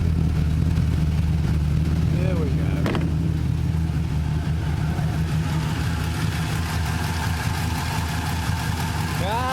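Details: 5.7 Gen III V8 in a VX Commodore, idling after an oil leak repair with the gearbox refitted: a steady, even, smooth low rumble with no knocks, ticks or misses. Normal idle.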